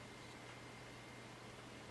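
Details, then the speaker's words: Packard Bell iMedia S3720 desktop on restart into Windows: very faint steady low hum and soft even whir, no rattle or surging; rear case fan now spinning slowly and quietly, normal fan noise. "it is now gone really quiet and that fan in the back is spinning very slowly for quite a wide range on that little fan I'm very impressed"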